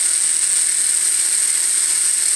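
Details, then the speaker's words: Electric RC helicopter, iKON flybarless governor, HobbyWing RPM sensor, Castle HV ESC, switching from stunt 1 (2200 rpm) through the flight modes: steady high whine, no surging or wobble; governed headspeed even, and the earlier hunting is gone. "there's the spool up and that's in stunt one so that's a 2200 rpm"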